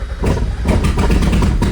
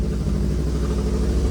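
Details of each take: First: Mazda Miata with BP4W engine swap, first start on new fuel after tweaking cam position sensor: stumbles and surges unevenly, barely holding idle, very rough but has compression; rough running. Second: NA Mazda Miata with BP4W engine swap, after a slight cam adjustment and fine tuning: steady, even low idle with no throttle, no misses or hunting; normal idle.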